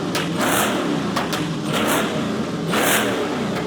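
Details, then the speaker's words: Supercharged LS-powered kit-car replica Lamborghini Diablo, running again after sitting a couple of years: strong clean revs rising and falling smoothly, no knocks or misses; healthy engine. "Now, the fake Diablo had been sitting for a couple of years and didn't run, but after a day of work, I got it running and running well."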